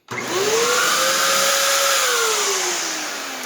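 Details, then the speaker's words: Dyson DC07 vacuum (12 amp motor), unclogged: spins up quickly to a steady, lower-pitched motor whine than the DC50 with airy cyclone rush, as its cyclone tips point upward; normal running. "Again, lower pitch. You can hear sound from the Cyclones."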